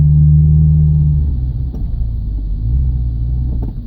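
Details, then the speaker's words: 2000 Subaru Legacy with high mileage, driving at about half throttle: low rumbling engine sags and wavers, pulling weakly without a clean rise, down on power; engine hesitates and struggles under load, cause unknown. "Now we're about halfway on the gas, and it seems to be struggling a lot."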